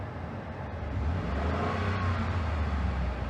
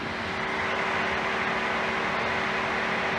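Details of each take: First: 2013 Ford F-150 with high-speed fan coming on with A/C: steady engine drone and low even hum, compressor whine gone once A/C switched off; normal running with A/C off, faulty A/C compressor to be replaced. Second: 2013 Ford F-150 with A/C on, after brief throttle: steady loud rushing roar with faint hum as cooling fans run on high speed, then drop to normal speed; complaint is high-speed fan kicking on with A/C.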